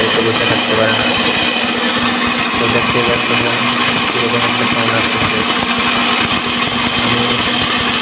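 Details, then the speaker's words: Easy-bike (electric rickshaw) drive motor running: loud harsh grinding over a steady motor hum, excessive noise and poor load pulling, attributed to a broken bearing rubbing inside a loose housing. "তো দেখেন মোটরটি কিরকম একটা sound আছে আমি আপনাদেরকে মোটরটি খুলে দেখাবো দেখেন মোটরটির সাউন্ড অনেক বেশি"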